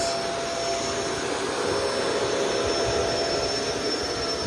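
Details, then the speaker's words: Shark Rotator DuoClean Powered Lift-Away on carpet: steady high-pitched suction roar with hardly any brush slap; weak brush roll agitation, which the owner assumes is due to the soft roller. "Yeah, you can hear how little agitation that has. And I assume that's because of the uh soft roller."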